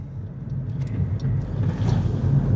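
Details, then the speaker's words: 2022 Honda Insight driving after replacing rear passenger shock absorber and upper shock mount (previously rattling and clunking): road rumble with only faint light taps over bumps, no rear rattle or clunk; suspension quiet. "Hallelujah. I think we're in business. Quiet as can be."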